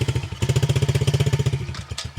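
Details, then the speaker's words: Kids' air-cooled four-stroke dirt bike, cold start without choke: small single thumps at about thirteen beats a second, then it stumbles and fades unevenly. The cold-blooded engine seems to want choke; suspected, not confirmed. "the air-cooled bikes are kind of cold-blooded. I could hear it there. So we probably should turn your choke on for a minute."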